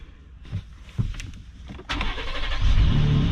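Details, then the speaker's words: Ford Raptor at Copart, possibly the EcoBoost V6: brief starter crank, catches cleanly on first try and settles into steady, even idle. Normal engine start. "a beast fired right up but I bet you this is the EcoBoost on"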